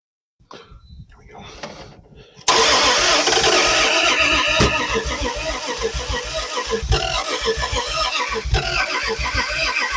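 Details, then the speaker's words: Long-sitting car revived after 40 years, coil hooked up, starter gas, points not cleaned: steady cranking near three turns a second with ragged firing that never runs; cranks but won't start, timing suspected but unconfirmed. "you can tell it wants to start um to me it sounds like the timing is a bit but it's hard"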